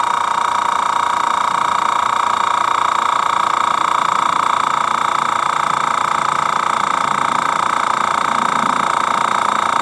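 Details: Master Airbrush TC-40T compressor on its first test with a Paasche adapter, building pressure; regulator found factory-set near 60 psi, too high for airbrushing. An even, fast buzzing hum pulsing about three times per second, no knocks; normal running.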